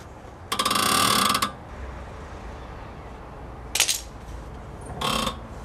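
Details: Worn strut top mount bearings found with the wheels in the air on a manual steering rack while turning the wheel; three bursts of notchy ratcheting with quiet between.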